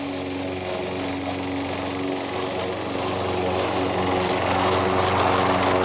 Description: I am mowing the lawn using an old Toro Recycler with a Bad transmission. So it is making lots of grinding noises as I am mowing.